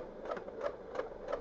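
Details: PS4 Slim bought used, at power-on: quiet, evenly spaced whirring clicks about three a second as the disc drive cycles uselessly, refusing to take or read discs; cause was its unplugged internal cable.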